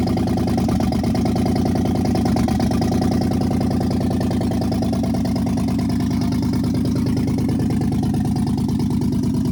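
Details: 2015 Dodge Charger Pursuit 5.7 V8, wrecked rebuild after fitting coil packs and spark plugs, with misfire codes: lumpy V8 idle with roughly three stumbles a second breaking the beat; engine misfire.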